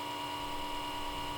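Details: Comcast Xfinity X1 DVR cable box: small-diameter left-side fan spins up at power-on and runs at high speed nonstop, even with the box off, until unplugged; steady high-pitched whine with soft airy hum, no speed change; constant high-speed fan whine.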